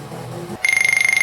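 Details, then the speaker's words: Atari Falcon 060 after fitting a new internal speaker during restoration: brief low hum then sharp, tinny high beep pulsing rapidly for about three-quarters of a second; speaker working, likely better than the original. "you can hear it's working sounds very tinny but i'll tell you what it's probably way better than the original one"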